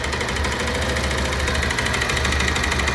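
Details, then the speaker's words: Idling motorcycle, camera close to the engine: loud, sharp tak-tak-tak clatter about three a second, slightly uneven, over the idle; identified as worn connecting rod knock. "যে দর্শক শুনতে পাচ্ছেন যে এখান থেকে ট্যাক ট্যাক ট্যাক ট্যাক একটি sound আসতেছে। সাউন্ডটি কিন্তু অনেক জোরে আসতেছে।"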